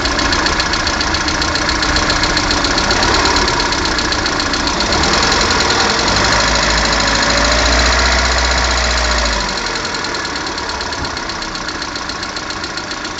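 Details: Lada Kalina 1.4 16-valve engine at idle: rapid, even metallic tapping about 220 a minute over the idle, steady when revs dip; knock from inside the engine, cause suspected, not confirmed.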